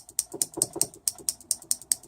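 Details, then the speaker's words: Isuzu Rodeo A340E automatic transmission shift solenoid tested on the bench at 10.4 volts gives sharp, even clicks about four to five a second, showing it works normally. "we know it's working and that's at ten point four volts"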